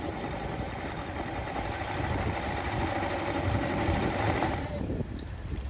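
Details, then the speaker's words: Two-stroke Johnson outboard in good condition, primer bulb staying about half hard, even steady idle in forward with no misses or knocks, then clean shut-off; runs well, clean bill of health for sea trial. "put a reverse sounds good neutral and forward sounds great so clean bill of health ready for another sea trial"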